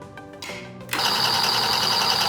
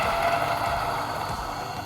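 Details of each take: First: Niche Duo coffee grinder being zeroed after moving the bean hopper: motor spins up with a bright, hissy metallic scrape over the hum as the burrs just touch at the zero point. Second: Niche Duo domestic coffee grinder with 83 mm flat burrs grinding beans: a steady high whirring grind with a light rattle that changes and eases as the beans run out near completion. Normal grinding.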